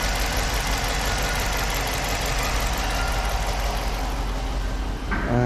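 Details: 5.7 engine: steady, busy idle with a faint, fast knock riding over the engine note, possibly a noisy hydraulic lifter; engine knocking noise.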